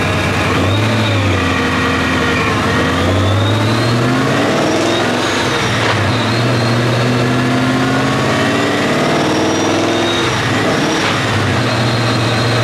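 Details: 2014 Ford GT500, 12:1 compression Trinity engine, on dyno with 17° timing, full-throttle pull toward 7,000 rpm; pull climbs in pitch but stumbles and breaks up twice, repeated hesitation and misfire later traced to oil-fouled spark plug.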